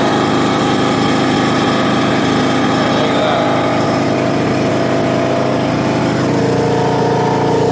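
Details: John Deere LA115 riding mower, 19.5 HP Briggs & Stratton, after drive belt and pulley replacement: light, buzzy single-cylinder note holding steady speed without stumbling; pulls smoothly and sounds healthy.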